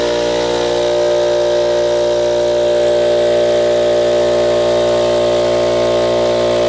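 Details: Ridgid air compressor (donor unit) pumping up; even, strong pump drone with steady buzzing beat, no knocks or faltering as pressure climbs past 70 and 150 to 160 psi; runs up normally despite reported pop-off valve issue.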